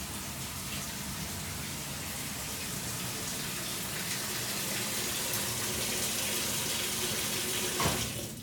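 Steady rush of water pouring into the tub with no buzzing or chatter from the valve; a normal, healthy fill.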